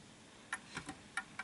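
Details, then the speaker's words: Art Deco Enfield Westminster chime mantel clock, pendulum deliberately pushed off center; ticks in uneven pairs instead of an even beat: clock out of beat and will stop. "so you can hear it fail. So I've just swung it a little bit too much. Hold on, let me just make sure that's nice. So that's off kilter, you can tell."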